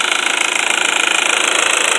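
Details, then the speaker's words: VW 1.8 turbo petrol engine at idle run on unsuitable oil: fast, even metallic ticking from a poorly lubricated timing chain tensioner in the cylinder head, knocking also felt by hand on the engine. "la cabeza necesita mayor lubricación en especial en el tensor que es lo que está sonando aquí ahorita"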